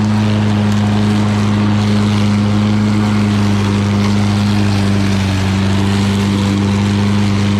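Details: Lawn Boy all-wheel-drive mower with Kohler engine, cutting and bagging grass: steady, even drone holding pitch with no misses, knocks or surging; normal running under load.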